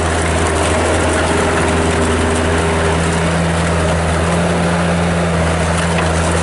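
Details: 1997 Bobcat 763 skid steer loader with Kubota diesel, 2,808 hours, on Loegering tracks, idling: deep, steady diesel drone with an even low thrum and no knocks or misses; running smoothly.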